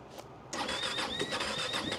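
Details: Starter cranks evenly with a faint squeak on top, but no firing pulses; engine turns over without catching.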